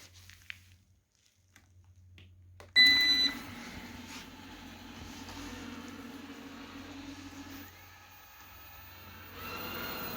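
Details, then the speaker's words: Eufy 30C robot vacuum that spun in circles, running after being taken apart, reassembled and charged: a short chirp, then a quiet steady motor hum with light brushing and no clicking or grinding; now running normally, even on carpet. "perfect look at that thing go yes whoo oh I'm so happy this thing is so cool look at it it's going around minding its own business"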